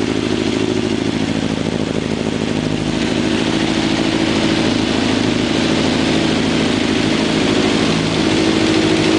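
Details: ZX11 four-cylinder engine idling with light blips, with a faint on-off whine riding over it; the weird noise's source is unknown.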